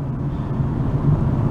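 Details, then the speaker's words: Dodge Avenger at 25 mph after replacing the hub assembly: only a steady low road rumble with no hum, growl or whirring; normal wheel hub, road noise only. "and no noise, only just the road noise, no bad wheel hub sound."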